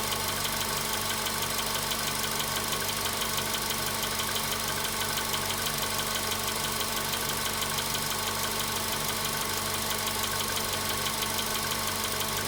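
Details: VW Polo Sedan at 93,000 km, cold-start idle: sharp, fairly regular ticking about twice a second, staying steady; a knock from inside the engine with its source not pinned down.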